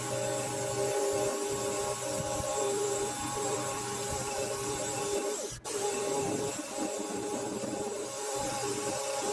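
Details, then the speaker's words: Mini lathe facing a 1-inch steel boss: rough, uneven chatter and steady tones over the motor hum; spindle bearings sound loose and likely need tightening, improved with a live center. "Starting to think it's time I uh I tightened up these bloody spindle bearings again. The way that noise that was just making"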